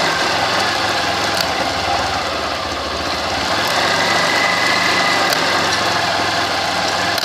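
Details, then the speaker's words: Motorcycle in first gear, rear brake applied, throttle raised to load drivetrain: faint tick once per chain revolution, about every two seconds, over engine noise; master link catching sprocket, silent unloaded or in neutral. "Então você pode observar que toda vez que o cadeado da corrente passava aqui, fazia o barulho, tá?"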